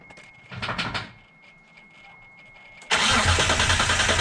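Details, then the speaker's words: Dodge Stealth after fuel pump and tank reinstall with about 4.5 gallons added cranks hard and steadily, never firing; the pump isn't heard priming and a faulty fuel pump relay is suspected but unconfirmed: crank, no start. "no fire no start that was a no start I I'm going to have to figure out the fuel pump relay perhaps"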